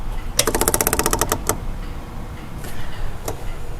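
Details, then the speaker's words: MGB fuel pump, powered directly after a broken no-fuse wire off the ignition switch caused a no-start: quick, even ticking of about a dozen clicks a second, then slowing and stopping; pump working normally. "And if I'm right, when we turn this on, there should be the characteristic clicking."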